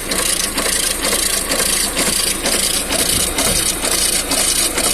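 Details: Lada Vesta NG at 70,000 km idling: rhythmic hissing rub about two swishes a second, louder with throttle, from the timing belt, which first whistled; belt later found damaged when removed.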